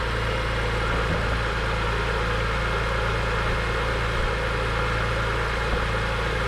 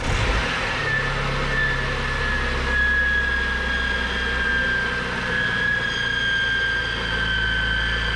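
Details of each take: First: BMW E46 M3 found overfilled with oil, first start after oil change on a jumper pack, very smoky; even steady idle with a smooth low rumble, no misfires; normal idle. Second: Cheap BMW E46 M3, first start, on a jumper pack with the oil just changed (it had been overfilled): a steady high whine over an uneven low idle; the owner suspects the accessories, source unclear.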